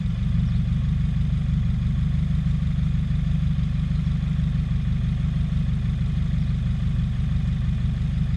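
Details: 2017 Subaru WRX after an aftermarket charge pipe and top-mount intercooler install, still the same with OEM parts refitted: low, heavy idle pulsing unevenly about three beats a second. It stalls and emits white smoke, and a boost or vacuum leak is suspected.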